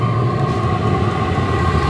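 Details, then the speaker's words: Cabin heater at start-up with the glow plug still on, drawing 114–116 W: steady loud jet-like roar with constant tone, no sputter or surging; burning cleanly, running normally. "all right listen to that baby taking off like a dang jet airplane"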